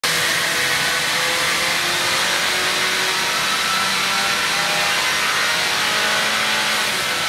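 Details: Engine under load on a dyno, loud, with a sharp hissing, puffing edge over it; exhaust leak.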